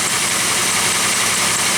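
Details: Idle of a Pontiac Aztek, which starts quickly even on cold mornings and is charging at almost 14.7 V while its battery is tested; steady, even idle with a smooth hiss, no knocks, misses or squeals, running normally.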